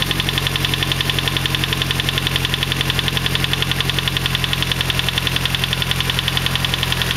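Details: Nissan SR20DET petrol engine idling cold, with lifters and timing chain tensioner already replaced: steady sharp knock about four times a second, gone after about 3500 rpm; cold engine knock at idle, cause unknown.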